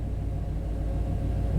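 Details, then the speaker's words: 1991 Chevy K1500 4WD, throttle body injection, surging and stalling complaint; the oxygen sensor was already replaced. Fuel control leans it until it starves for fuel: lumpy, uneven low idle stumbling every few beats, a lean misfire at idle. "for fuel right there lien misfire very interesting"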